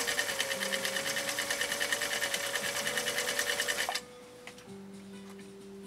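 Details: 1955 Husqvarna Viking Type 21 Class 20 sewing machine (1.5 amp), restored, sewing stitch 2 on cam A (building block design), slider at two, width four: quick even chatter about three stitches a second, smooth, steady, stopping cleanly; normal running.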